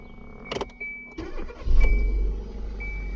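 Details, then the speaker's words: 2015 Kia Soul GDI 1.6 that had a crank-no-start, after replacing the crankshaft position sensor: the starter cranks briefly, then the engine catches and settles into a low, even idle with no misses; it starts and runs normally. "As you can see, the car is working fine now."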